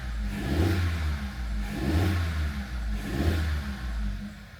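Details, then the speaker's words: Audi A3 1.4 TFSI petrol after engine swap for bearing knock, first start before coolant fill, EPC light on: idles on its own with gentle swells, no knock or clatter; normal idle. "Got him started. This sounds fresh. It sounds fresh."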